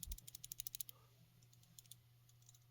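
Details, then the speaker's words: iPhone 11 with wifi, cellular and FaceID faults after a screen replacement, shaken by hand with pentalobe screws removed: quick burst of light, dry clicks and rattles; a loose part rattling inside. "Something's going on in there. Something that's rattling that shouldn't be rattling."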